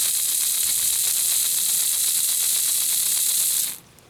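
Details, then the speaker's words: Lima Express Parcels van model railcar drive with a 3D-printed replacement for a broken small gear, run on a battery on the rear contacts: high hissy whir, fast uneven ticking near four per second; gear suspected rubbing on back of wheel, not confirmed. "just looking at the um gear compared to the original and it looks like it's probably rubbing just a bit on the back of the wheel so maybe that wheel just needs to be eased out just a tad"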